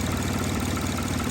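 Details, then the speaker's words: Car with rough idle that keeps dying, misread as a battery fault, negative battery cable already changed: idle pulses are uneven and stumbling; carbon buildup in the throttle body leaves too little airflow to idle properly. "all that carbon buildup that's why the car is running rough and that's why it keeps on dying because it doesn't have that clearance for it to idle properly"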